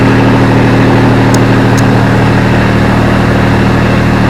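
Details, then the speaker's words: Grasshopper mower with Kubota diesel, right after startup: steady, even low chugging idle with no knocks or stumbles; fires right up, healthy. "This little Grasshopper, it's a big Grasshopper, has a Kubota diesel in it. And use the heck out of this thing. Thanks, fires right up."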